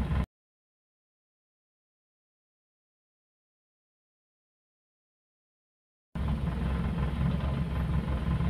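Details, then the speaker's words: Standard Suzuki Katana, carbureted with points ignition, pre-purchase check after start: settles into a low, steady idle about three beats a second without hunting; rpm up and down would mean carburetor or points repair needed. "kita dengar suara mesin dia bisa langsam apa enggak Kalau dia naik turun naik turun berarti kondisi mesin perlu perbaikan di karburator atau platina dan teman-temannya jadi perlu perbaikan"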